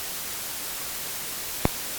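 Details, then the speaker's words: AC-2EX intercom connected through 9er Systems USB interface for headset audio check: constant loud hiss with a single sharp click once the intercom or phone is plugged in; high noise floor, cause not found. "And now as soon as I plug in, the phone, crazy noise"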